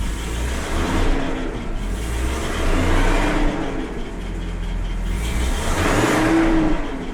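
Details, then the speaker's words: Jaguar XJ6 (XJC) petrol six with Stromberg 175 carburettors, cold start at raised fast idle during choke adjustment: faint whirring whine that swells and fades over the engine; idler pulley suspected, not yet checked. "That sound you're hearing is an idler pulley I need to have a look"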